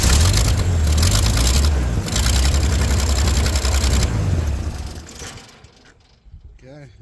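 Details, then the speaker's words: Small petrol engine on an Asplundh JEY chipper, started with gas poured into the carburetor bowl, runs steady with an even low thump and slight puffing tick from a minor exhaust leak, then shuts down on the ignition switch; no knocks. "a little exhaust leak I ain't going to worry about that I'm just happy that it runs no knocks"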